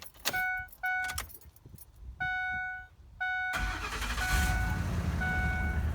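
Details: 5.4L V8 first start after spark plug change, engine cover refitted and battery reconnected: a few warning chimes, then a quick crank catches and settles into a steady, smooth idle rumble.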